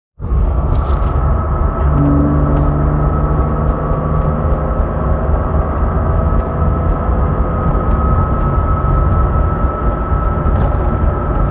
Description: There's a high pitch humming that has started a few days ago as of posting this video not sure what it is or how to address it.